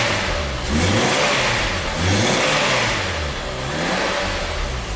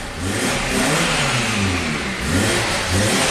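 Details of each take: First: 2011 Nissan Sentra, 33,000 miles, that had stalled and barely ran, now restarted after repeated starting-fluid attempts: revs up and settles back smoothly, idles on its own with everything plugged in and has clean throttle response; running normally. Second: 2011 Nissan Sentra, 33,000 miles, with the intake hose off so air bypasses the MAF: a rough, wavering roar with heavy smoke. It runs only with the throttle floored, dies otherwise and shows no DTCs. Another shop had already replaced plugs, coils, fuel pump and converter.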